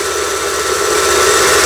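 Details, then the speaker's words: Lion JF1012 sewing machine, about 25 years old, after repair of seized internals: pulley pulled out so only the bobbin winder runs, smooth even high-pitched whir at constant speed, no knocks or rubbing; winding normally. "요걸 빼게 되면 북실 감기 장치만 작동이 되는 거죠."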